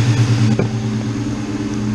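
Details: Ford Mustang GT (99-04) V8 idling after installing a new SR Performance 130 amp alternator in place of the stock 105 amp; steady, even low rumble, no misses, knocks or belt squeal, no battery light; normal idle.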